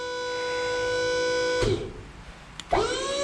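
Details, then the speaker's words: DIY $30 wireless remote wired to the solenoid of a dump trailer's 12V hydraulic pump motor: steady motor whine cuts out, then spins back up to an even tone; pump running normally. "Okay, I got it backwards, so that's supposed to be up, but I can hear that it's down, so let's try the other way."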